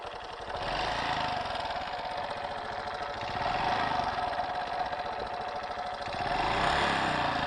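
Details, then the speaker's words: Honda Super Cub JA07 idling with a sudden new engine noise: loud, fast clatter, about three taps a second and uneven, over the idle; the owner says it never made this sound before, cause not yet found. "そんなカタカタ音がせんかったような気がするんよね。やっぱりこんな音しよらんかった。"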